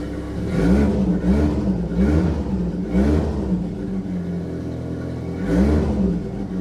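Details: Saab 900 Turbo with K-jet fuel injection, previously non-running, after K-jet repair: catches and runs, rising and falling cleanly through quick throttle blips; normal start and revving, though the engine still has small vacuum leaks.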